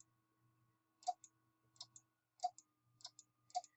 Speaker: if you can it clicks on well you'll hear clicking either on and off as I turn it on and off